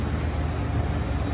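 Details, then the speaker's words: True T-49F freezer, just brought out of defrost, after a buzzing regular contactor fitted in place of the original relay was replaced: only a low, even compressor hum with no buzz or chatter; running quietly and normally. "let's get it changed out that sounds better a lot better"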